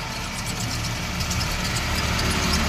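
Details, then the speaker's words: Maruti Eeco idling, clutch pedal pressed: faint rough whirring noise over engine, silent with pedal released; diagnosed worn clutch release bearing, gearbox to be removed, clutch plate and pressure plate to be checked. "ये देखो इस तरीके का इटेड sound आ रहा है इसका मतलब है इसका कलच बेरिंग गया"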